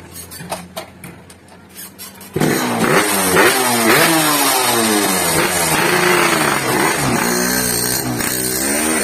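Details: Yamaha RX King two-stroke with a lost-power complaint, road test ride: crackles up and pulls cleanly through rising revs and gear changes, no bogging; pull now good, though drive chain possibly loose, nearly came off at full throttle.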